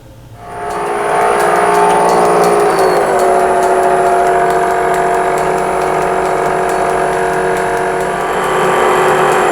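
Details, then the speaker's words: Pre-1907 Hardinge Cataract machine restoration, VFD-driven, roller test: even motor hum with quick regular tick-rattle three or four per second; excessive clearance in roller sleeve bearings, to be replaced with ball bearings. "that noise drives me nuts there's a clearance in these sleeve bearings in the roller an excessive clearance"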